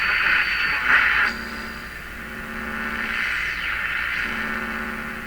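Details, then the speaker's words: Hallicrafters S-53A receiver after replacing its wax/paper capacitors, tuned near 860 kHz: a hard-to-get station comes through clearly with little static, not receivable before; normal reception. "so we're up around 860. that's the french station that's a tough station to get"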